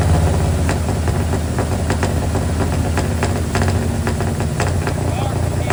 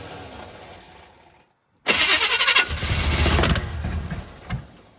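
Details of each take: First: Square body single-cab Chevy truck with a small block 350 V8, running again after six months down with a broken starter bolt hole, now fixed with a stud. With the firing order corrected and timing set, it holds a steady, even, deep idle rumble with no knocks or stumbles. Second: Square body Chevy 350 small block, not run for six months, starter bolt hole repaired with a stud, rewired to firing order 18436572: sharp loud bang as it catches, then rough uneven firing. Backfire while starting.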